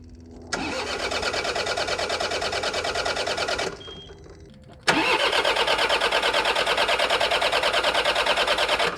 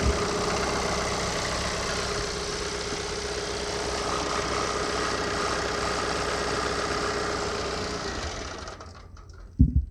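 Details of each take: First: John Deere 4052R compact tractor diesel after fuel filter change with the fuel valve left off: fires, cuts out after about three seconds, then restarts and holds a steady even idle once fuel is restored; normal idle. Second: John Deere 4052R tractor diesel after fuel filter change: idles roughly about eight seconds then dies as air remains in fuel system: stall from air in fuel system.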